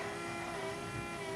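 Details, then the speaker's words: Electric power steering pump on a Scion FR-S converted to a Nissan S13 steering rack, running on ignition with the car in the air: a steady, even whine at one pitch with no surging or grinding; somewhat noisy but working normally. "little noisy. Once the engine's running, you can hear it like kind of bog down like that when I turn it."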